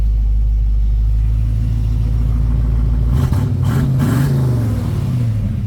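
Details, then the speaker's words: 1972 Ford Mustang Sprint with 302 V8, starting up: deep even V8 rumble picking up cleanly with a couple of short revs and settling back, no misfire; fires right up and runs healthy. "there's only one thing that I could complain about on this guy and that was the blower motor she fires right up"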